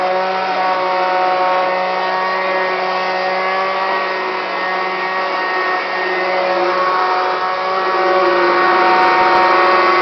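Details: Kirby Classic 1-CR upright vacuum, thrift-store bought and used only three times: loud steady motor roar with a strong constant whine, rough noisy run; bearings went out, getting louder and shakier over time.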